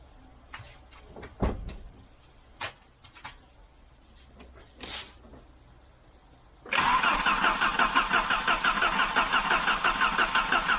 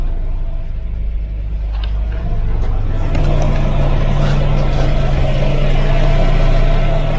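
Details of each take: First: 1988 Volvo 740 GL with a 2.3 petrol B230F engine, stored almost 10 years, first start attempt: starter spins the engine at a steady, even chug of about three beats a second but it never catches; the fuel pump was then tested and replaced. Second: 1988 Volvo 740 GL 2.3 petrol B230F after almost 10 years stored, new fuel pump and filter, started with starting spray: deep, even idle settling into a smooth low rumble, no tapping or piston slap; normal idle.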